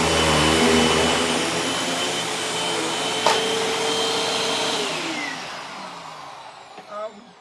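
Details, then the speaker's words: Hoover WindTunnel T-Series bagged vacuum: steady high whir with rough rattly edge winding down at shutoff; owner says it needs a new belt; abnormal running noise. "definitely need to get a new belt for it, because y'all can hear what it sounds like. It definitely needs a new belt."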